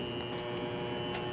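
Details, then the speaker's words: Water Ace sprinkler pump motor (previously epoxy-repaired shaft, new seal): steady hum with faint whine, not spinning up, drawing locked-rotor amps, tripping thermal overload; new capacitor didn't help; owner suspects centrifugal start switch, unsure. "I think it's actually the centrifugal start switch but I'm not totally sure"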